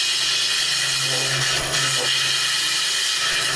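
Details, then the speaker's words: Wood lathe turning a white birch lamp shade thin enough for light to pass through: a harsh, steady hiss over the low spindle hum. Excessive tool pressure; the turner is pushing too hard and must lighten up. "once I start hearing it that means that I'm pushing too hard lighten up so"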